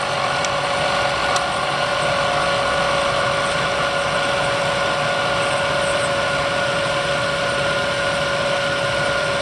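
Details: Bridgeport 2 HP vertical milling machine, variable speed head (60–4200 RPM) with spindle power feed: steady clean whine from the head with an even hum beneath, no knocking or grinding; spindle and feed running healthy.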